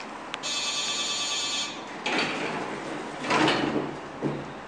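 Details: Nippon Elevator elevator door buzzer, apparently deteriorated: a steady buzzing tone runs just over a second, then turns thin and uneven, strained rather than clean; strained door buzzer.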